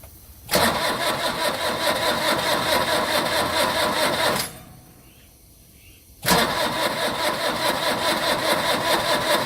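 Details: Long-sitting old diesel truck, lighter gas fed into the intake: two long bursts of steady cranking, about two turns a second, with a quiet gap between; never catches, crank-no-start, plastic burning smell.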